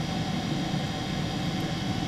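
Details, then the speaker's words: 2 kW Chinese diesel air heater on high, fuel pump counted at about 300 pulses a minute, roughly 5 Hz, similar to the normal controller: steady even roar with soft ticking pump just audible; normal running. "so we're getting about five roughly five Hertz so about five beats a second"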